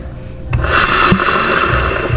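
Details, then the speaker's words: Yamaha NMAX V2 rear torque drive turned by hand after clutch assembly removal: loud, rough, gritty rasp from its worn bearing, the source of the noise heard at the rear wheel while riding. "Yan, kung naririnig nyo mga boss, dyan nang gagaling yung ingay, dun sa bearing nya."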